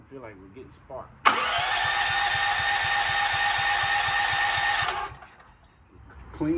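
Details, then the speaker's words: Gas generator, about 20 years old and stored for years, partly reassembled with the solenoid hooked up: spins over at about four pulses a second without firing, then stops; cranks but won't start, and the owner found almost no gas. "the spark plug up real good but it didn't have any gas in it anymore"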